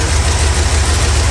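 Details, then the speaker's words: 1971 Plymouth Satellite V8 after years of sitting, which had run fine on all eight before: a lumpy, uneven idle with missing beats. Compression test found one cylinder at 30 psi (head gasket suspected) and one at zero. Misfire at idle. "You listen closely once in a while, you hear that rear cylinder fire off. This is so weird. This motor ran great last time it was on camera."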